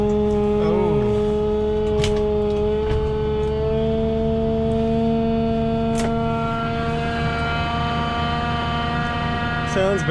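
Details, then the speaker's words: 2003 Ford F150 5.4L with nearly 250,000 km, cold start at minus 32 °C (possibly minus 38) after replacing the corroded battery cables and the original starter. Deep, loud, steady drone with slightly wavering pitch as it catches and runs rough but steady. "bad, but it started. That's pretty crazy. Minus 32 Celsius outside."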